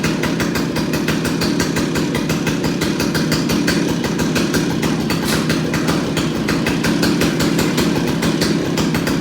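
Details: Stihl 028AV Wood Boss chainsaw after carburetor clean and rebuild, on choke, before tuning the adjustment screws: quick, even two-stroke buzz holding steady with no misses or surging; normal running.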